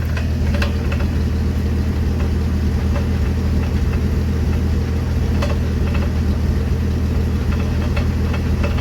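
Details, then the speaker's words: 1974 Ford F-250 Ranger SuperCab, 4.9 L 300 I6: low drone with sharp, irregular clunks from under the truck. The never-greased driveshaft slip spline is the source, not the transmission as first thought. "yeah it's there in the spline it ain't the transmission like I thought which is good"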